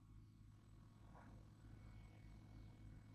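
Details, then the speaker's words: Newly installed kayak fishing thruster, electric motor run forward and reverse from its controller: low, steady electric hum, smooth with no grinding or knocking; motor functioning normally. "Alright. So function. Dia punya motor elok function."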